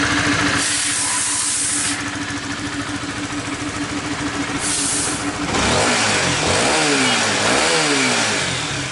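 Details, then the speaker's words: 2017 Honda Sonic after replacing the sticking automatic cam chain tensioner and changing the oil. Smooth, steady idle without ticking or rattle, then clean throttle blips; the earlier rough noise is gone and the engine is quiet and healthy. "Oke teman-teman, jadi untuk motor CS1 nya udah halus dan alhamdulillah. Sonic sorry CS1. Jadi untuk CS1 nya udah kelar dan alhamdulillah udah halus, udah kembali halus."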